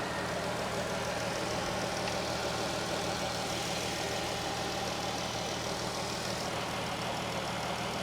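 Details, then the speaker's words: 2014 Dodge Durango 3.6 L V6 at auction, engine bay part missing, A/C not blowing cold: smooth even idle, steady low beat, quiet, no knocks, misses or surges; healthy. "so we have a 3.6 l oh okay well that's interesting is that a good thing or a bad thing it doesn't look like a h but it's quiet"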